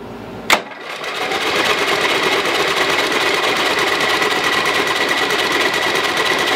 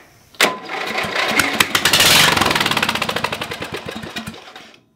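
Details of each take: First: Lowe's 1442 mower, 14 hp engine, carburetor reattached, plug in, both chokes on, spark confirmed: a click, then steady fast chugging cranking that never catches. Fluid comes out. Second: Lowe's 1442 mower, 14 hp, choke held on because the cable is broken, after finding a piece missing from the top of a valve stem: the starter cranks, then the engine fires and runs briefly with quick, slightly uneven popping before shutting off, so it runs.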